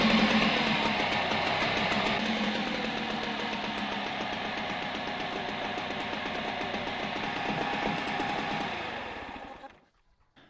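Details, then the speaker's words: Outboard motor from a beached aluminium boat, very little compression with hiss past likely worn rings: rattly, uneven running with tinny clatter before dying; starts but sounds worn out, and weak telltale water suggests the impeller needs changing. "it does sound pretty worn out but um starts all right"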